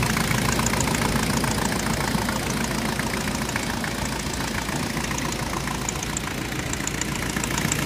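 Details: Jeep with VM Motori 2.5TD diesel idling with a sharp, fairly regular knock about three or four times a second over the clatter; engine knock, source undetermined.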